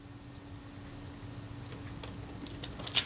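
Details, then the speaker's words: Kodak Retina Reflex S camera being serviced: faint short high squeaks and ticks as the very stiff shutter mechanism plate is worked by hand, metal rubbing on metal; metal-on-metal squeak from stiff shutter mechanism. "you can hear it squeak and it's squeaking that's the sign that metal is rubbing on metal and it's not enjoying it"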